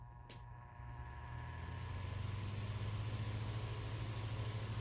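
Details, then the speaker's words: Fan after a bearing realignment attempt (it still won't line up): smooth low hum rising as it spins up, steady, no grinding or ticking; now loose with a nice long spin-down. "Now let's check out the spin down time. Really nice long spin down time."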